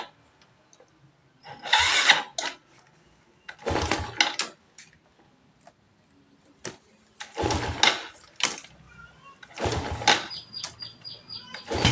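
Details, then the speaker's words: Yamaha Jupiter Z, cold engine in the morning: several short cranking bursts with no catch; it usually needs choke. The spark plug is wet and smells of fuel, with a dirty, sensitive carburetor blamed. "dan motor pun tidak mau hidup ini businya sering basah ya menurut punya motornya ini businya sering basah"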